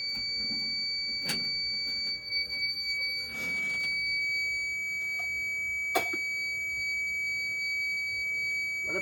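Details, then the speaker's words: Fire alarm system test, pull station pulled for a real alarm after an audible had failed to sound earlier, strobe firing: a steady high-pitched tone near 2 kHz holds throughout with a few short clicks. The horn sounds normally. "so we'll go ahead and do the Pull Station which will real alarm it and there you can see the strobe goes off for the for that"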